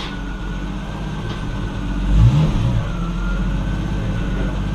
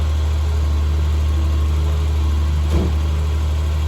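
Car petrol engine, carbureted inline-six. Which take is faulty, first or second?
second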